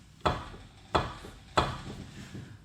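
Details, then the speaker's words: 2004 Honda Civic Si, 2.0-litre, manual transmission: three sharp hollow clunks about two-thirds of a second apart as the front wheel is loaded while turning or over bumps, with lots of play; worn lower ball joint on one side. "Anytime you turn a little bit, it makes some clunk as it moves, as the pressure it's distributed differently, which means turning, for example, or it will be the bump. All kinds of possibilities how to make this noise, but there's so much play."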